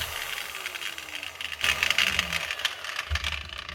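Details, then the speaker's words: Old, well-used angle grinder after fitting new cut-to-size bolts and tightening the gear head: high, rough rattling whir through the motor noise persists; damaged gears or a bearing suspected, not confirmed. "that's something else wrong there could be gears or could be a bearing"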